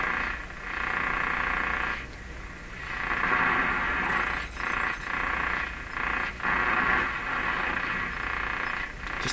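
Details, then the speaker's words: RCA Victor A38 shortwave tube radio after a broadcast band alignment attempt, reception weaker than expected; harsh, rushing static with a buzzing edge swells and drops out irregularly between stations; radio interference noise of unknown origin. "that noise drives me nuts what that is"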